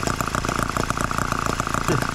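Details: Microcosm H74 engine after piston ring replacement, about two tanks of fuel run and several heat cycles, started by drill: a quick, even firing beat with a steady buzzy exhaust and no misses or knocks; running cleanly.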